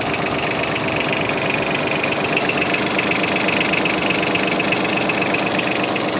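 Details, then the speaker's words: Yanmar AF15 mini tractor diesel with rear snow blade, sub-zero day, neutral, throttle untouched, clutch engaged: ticks over evenly at about four beats a second, no knocks or rattles; smooth, normal idle. "Трактор работает ровно очень, без лишних каких-то шумов."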